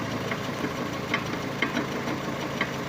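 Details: Vehicle with front wheel off, engine running in gear: sharp, somewhat uneven knocks about twice a second from the front axle; transmission suspected shot, shift solenoid already replaced without change.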